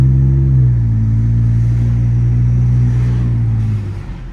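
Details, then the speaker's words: Ford F-150 pulling away slowly from a stop after greasing the driveshaft to cure an intermittent driveline clunk on take-off; smooth low rumble, everything tight with no knock or thump — no driveline clunk after repair. "So now, when I start going, everything's tight, no clunks. Sounds good. Perfecto."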